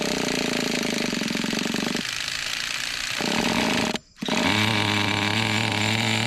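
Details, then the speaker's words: Traxxas Nitro 4-Tec RC car, retested after seeming to lack second gear, carb richened and shift screw tightened; engine screams, cuts, then drops cleanly into second; a missing shift spring was suspected. "so that shift did pretty good you can hear that really good"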